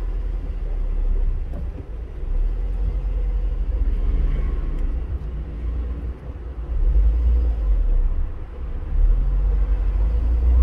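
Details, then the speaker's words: 164K-mile Honda Fit with nasty rough idle: deep throb and loose rattle in the engine bay from a failed AC compressor bearing (frozen inside, magnetic clutch not engaging, AC not working) plus a worn drive belt tensioner, diagnosed before repair. "okay so what do we have here this is the AC compressor okay it's got a little rattle is that a bearing yeah so broken bearing yeah"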